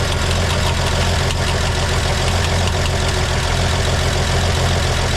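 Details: 1958 GMC pickup parked for years, first start with broken choke: loud, busy low idle with steady throb and some clatter, running on its own; rear freeze plug later found out, coolant draining from the radiator.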